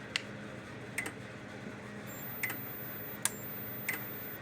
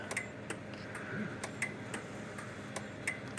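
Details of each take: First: Kencove KF13000 fence energizer tested before repair; sharp single clicks roughly every 0.7 seconds, the transformer pulsing as power discharges into it, showing the two control boards are okay. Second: Kencove KF13000 dual-output fence energizer after repair, case taped together, working like a dream: crisp clicks at a steady two per second over a quiet background; pulsing normally.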